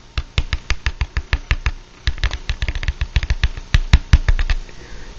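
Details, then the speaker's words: Vintage CTS Alnico magnet speaker, healthy: finger thumps on the cone give clean, deep, drum-like knocks with no buzz or rattle, and the suspension moves freely. "just a nice almost drum likee tone and when you gently move the speaker suspension in and out it moves freely and doesn't make any strange noises"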